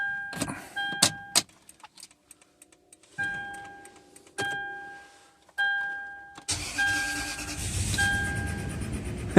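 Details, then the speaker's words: 2005 Toyota Sequoia V8 after repairing a crank-no-start by resoldering and reinstalling the immobilizer: chimes and clicks, starter catches, engine fires cleanly into a steady, even idle despite earlier low-cylinder concern; normal start and idle. "let's go see the engine didn't sound terrible as far as uh with the low cylinder stuff"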